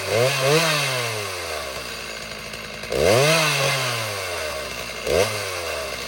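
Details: Small two-stroke chainsaw after tune-up, first run after two years unused: blips up and settles to a smooth, even idle between revs, no misfire or stumbling; normal running.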